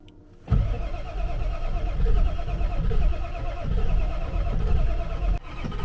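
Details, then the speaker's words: Diesel truck with a mechanical lift pump after sludge in the tank and fresh fuel, with a suspect sending unit: long uneven cranking with lumpy chugs, puffing a little smoke. It stumbles and tries but doesn't start. "it's puffing a little smoke out of the exhaust and stumbling it's trying"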